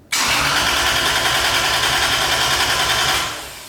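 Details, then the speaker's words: Lexus IS300 with 1JZ engine, newly fitted Link G4X ECU on base map: starter spins engine at even rhythm about three seconds but never catches; crank, no start, cause not yet found. "cool we have not figured out the no start issue"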